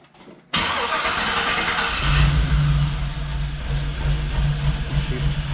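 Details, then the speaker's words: Jeep with new true dual exhaust, idling; uneven lumpy idle with stumbling beat, feels like a whole dead cylinder, some backfiring; misfire. "I'm not sure, but it feels like sounds like it's missing a whole cylinder. I don't know. It's pretty rough."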